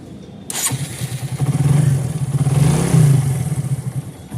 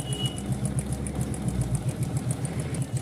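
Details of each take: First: Motorcycle after repairing the cam chain tensioner, which had caused khat-khat noise after a new timing chain: engine catches first try and settles into a steady low thump, about four beats a second, no rattle; now sounds like new, healthy start and idle. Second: Motorcycle (Glamour/Splendor type) still giving khat-khat noise after a new timing/cam chain was fitted: quick light ticking over a steady low idle, cam chain slapping because the cam chain tensioner spring has failed.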